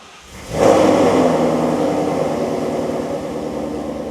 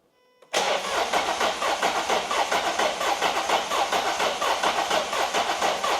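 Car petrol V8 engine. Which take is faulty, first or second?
second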